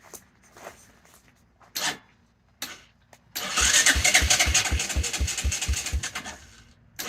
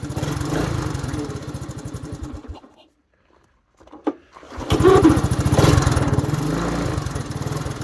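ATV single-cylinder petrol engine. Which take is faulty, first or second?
first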